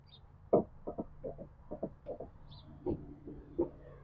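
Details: 2009–2018 RAM 1500 truck door swinging gives short, quiet creaking squeaks in uneven pairs from a dry hinge, treated with spray-on chain lube.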